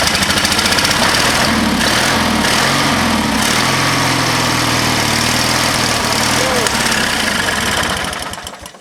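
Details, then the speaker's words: Used lawnmower engine fitted to an old Ariens walk-behind mower, started at about half throttle on full choke: the small single-cylinder catches and runs with a fast, fairly even putter before cutting off. Sounds healthy. "It ran good. That sounded really good. Excellent."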